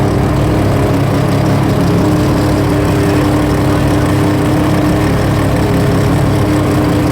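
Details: Three-rotor RX-7 idling after its first start: loud, busy idle with a steady buzzing drone and faint whistle on top, firing evenly without misses; healthy rotary.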